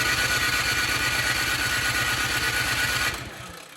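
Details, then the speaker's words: Cub Cadet 2X 26-inch snow blower (model 31AM5CVS756, engine 675-WUB), choke on, primed, electric start after fresh fuel in bowl: steady rapid starter whirring, no firing; no start, carburetor problem suspected. "At this point, what I do, just to confirm that it is a carburetor problem, is you're gonna take the spark plug back out."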